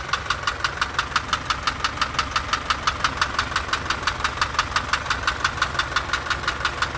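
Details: Isuzu light truck engine at idle: crisp, even tick about three times a second tracking engine speed; a knock not yet pinned down, worn camshaft lobes tapping on the followers or tappets suspected.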